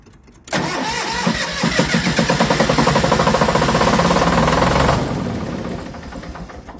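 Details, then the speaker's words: MEP-002A military diesel generator, after decades unused: cranks briefly, catches at once and settles into an even, steady diesel chug with no misses; normal start and run. "all right number one works that's pretty freaking cool"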